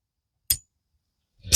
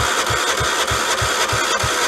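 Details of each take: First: 1976 Vermeer LS200 log splitter (Kohler K301 12 hp), with the microphone close to the detent: a sharp metallic click as the ball drops into its hole, then brief handling rattle. This follows a repair where the part was refitted rotated 180° and peened, and the detent now engages properly. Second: 1976 Vermeer LS200 log splitter, Kohler K301 12hp single, starting fluid, no choke: even cranking chuffs about three per second for four seconds, never catches, not a pop; cranks but no start, ignition power to be checked.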